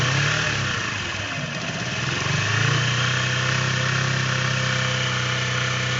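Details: Keeway Cafe Racer 152 motorcycle with a Motobi engine at idle: a steady tapping about four times a second over the exhaust beat. This is an engine knocking noise with the cause unclear.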